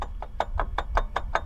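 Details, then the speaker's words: Jeep with the serpentine belt removed: dry, evenly spaced mid-pitched knocks about five a second from the worn power steering pump shaft, traced from an engine bay noise. "see that's definitely where the issue is coming from the shaft on the power steering clock making some lovely noise"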